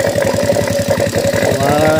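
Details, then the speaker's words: Honda Revo motorcycle engine idling after reassembly, oil flowing up: fast rough pulsing clatter of tappet noise as valve clearance is still set loose; the bike's refusal to rev was traced to a worn camshaft. "Ini setelan klepnya masih longgar ya, masih bunyi."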